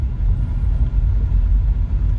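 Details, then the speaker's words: Car driven over rough concrete after replacing the brake caliper pins, which had caused a klutuk clunk: steady low road rumble with only faint cabin rattles and no knock from the front brakes; normal brake operation, no clunk. "udah nggak ada suara dari itu lagi."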